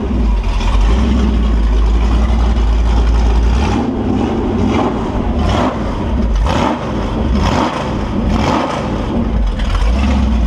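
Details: Fresh Holden 355 stroker V8 on bench test, flat-top pistons, Sig Erson TQ30 cam, HEI, Edelbrock carb, 9.5:1 compression, 30 psi oil at idle: deep steady burble with clean throttle blips, no knocks or ticks, no leaks; healthy.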